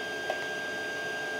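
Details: Creality CR-10S 3D printer after fitting steel-and-rubber NEMA 17 stepper motor vibration dampers: only a faint, steady high stepper hum with no clunks or rattles as the axis moves. Barely makes noise compared with before, quiet and healthy motion.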